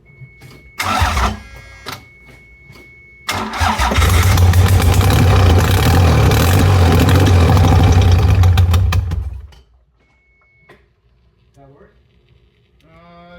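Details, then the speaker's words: Toyota MR2 3VZ-FE V6 after long sitting: several short cranks, then catches and runs rough and uneven for about six seconds before dying, smoking from the exhaust; coolant lines on the idle air control valve swapped, dumping coolant into the intake. "I don't think it's said gasket it was the coolant lines on the throttle intake air control valve were swapped around so it was dumping coolant into the didn't take and kind of"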